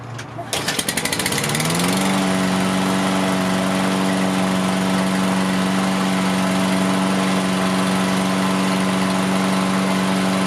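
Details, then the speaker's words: Toro AWD Recycler mower engine after excess oil was drained from the cylinder, ethanol-free fuel, idle raised by bending the metal tab: cranks, catches within two seconds into a steady, even hum with no misses; normal idle. "That idle came up. Sounds a lot better."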